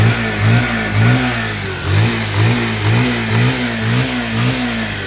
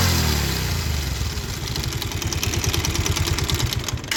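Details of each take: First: Bajaj Pulsar 150 after balancer gear and clutch plate replacement, previously making a grinding khur-khur noise: clean revs rising and falling with smooth exhaust note, no knock or rattle; normal engine running. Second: Bajaj Pulsar 150 starting and idling with an uneven clattering knock from the clutch side, caused by a failed balancer (scissor) gear; clutch plates worn and engine bolts fell out; new balancer to be fitted.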